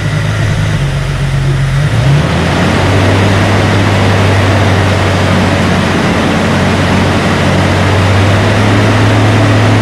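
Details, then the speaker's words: 2002 Jeep Wrangler, freshly installed 4.7L stroker replacing 4.0, first start breaking in cam at about 2000 rpm, aftermarket starter: steady even raised-speed drone, no knocks, misses or rattles; healthy engine. "so what we're doing right now we're breaking in the cam gonna run this thing about 2 000 rpms for about 15-20 minutes but it is alive everybody"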